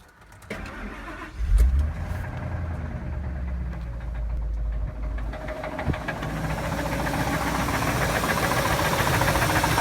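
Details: Ford 5.4 liter Triton V8 at 138,000 miles cranks, catches and settles into a run with a steady, rapid knock beneath the exhaust note; rod knock suspected, not confirmed.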